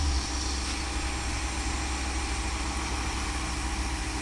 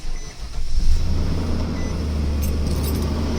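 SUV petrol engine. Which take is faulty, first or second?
second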